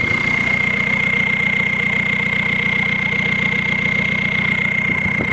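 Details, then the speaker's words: Volkswagen Beetle TDI diesel, 300,000 miles, first start after over four months sitting: even diesel idle clatter under a strong steady high turbo whistle; sounds healthy. "she started up and she sounds healthier and better than ever listen to this whistle"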